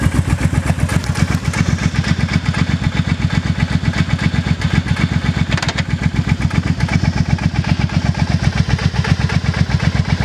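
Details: Idling with steady low thumping, about two to three beats a second, a dull clunk on each beat; cause unclear.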